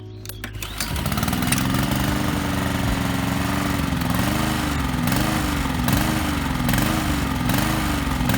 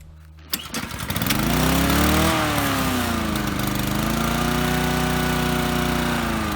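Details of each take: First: Lawn mower engine surging, speed rising and falling about once a second, hunting from an oscillating governor; runs fine on choke, otherwise dies under load; carburetor cleaner sprayed into the warmed-up engine's intake didn't fix it. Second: Lawnmower engine after surging repairs: it starts, swings in speed briefly, then settles into a steady run. A lever's spring was replaced with wire and cloth was taped to the flap to smooth its movement.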